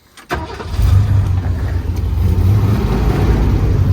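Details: Early-80s bullnose Ford Bronco with a 351 V8, after rewiring: a brief crank, then it catches at once and settles into a deep, steady rumble with no stumbling; a clean, healthy start.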